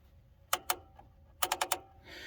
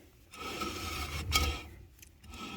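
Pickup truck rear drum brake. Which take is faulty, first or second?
second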